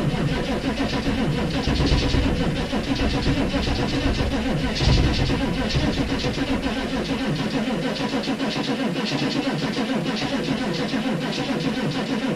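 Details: 6.5 turbo diesel cold start at -15°F: a sluggish, uneven chugging crank that never catches and stays laboured, with weak batteries dragging the starter. The owner believes only one battery was connected because the other had a poor connection.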